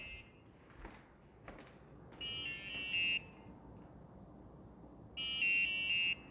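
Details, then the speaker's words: HobbyZone Carbon Cub S 2 1.3 m RC plane system, left idle after flights in a quiet room: two harsh buzzing tones about a second long, three seconds apart; an inactivity warning that clears back to normal running. "okay so that's like an inactivity warning see goes from red and like some sort of doomsday noise to running like usual"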